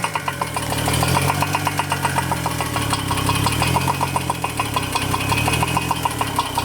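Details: 2002 Chevrolet Trailblazer with a remanufactured engine, shortly before its break-in checkup: the petrol engine idles with a sharp, regular knock, about five or six per second, over a low hum; cause unknown despite extensive teardown.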